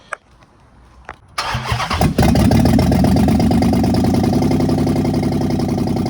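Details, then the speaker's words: 2015 Dodge Charger Pursuit 5.7 V8, wrecked rebuild after fitting coil packs and spark plugs: cranks, catches and settles into a fast, slightly uneven lumpy idle, sounding like a dropped cylinder; engine misfire. "Cause I know that bitch got a couple codes and it's misfiring. So it's not firing right."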